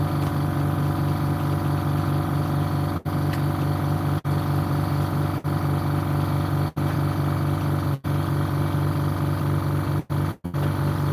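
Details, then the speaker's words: DeWalt DCS391 circular saw running rough: steady motor drone with a rough, gritty edge and low pulsing throb; the housing is melted and the brush holder has shifted sideways and scratched the armature, causing much of the noise. "The housing is melted and the holder has actually gone to the side and actually scratched the armature, and that's where a lot of the noise is coming."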